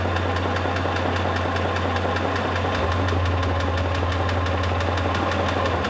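A sharp metallic knock taps out roughly twice a second over a steady idle, clearly audible above the engine hum; internal knock, source undetermined.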